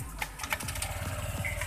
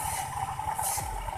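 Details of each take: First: Honda Vario 125/150 scooter after fixing a rough noise when the rear wheel is spun by replacing the rear pulley bearing: rear wheel spins with an even engine hum and no rough grinding; normal CVT running. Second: Honda Vario 125/150 scooter, rear wheel spun by hand: rough pulsing rumble under a steady ringing tone from a worn clutch pulley bearing, to be replaced.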